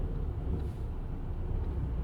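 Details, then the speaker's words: 2007 VW Golf GT TDI, BKD 2.0 diesel 140 hp, under load at 3700 rpm: deep drone tracking engine speed, peak vibration 9.7 g, milder at 1800 rpm; owner suspects driveshaft or wheel bearing, source unconfirmed. "so 3700 rpms showing the most prominent vibration being 9.7 g's"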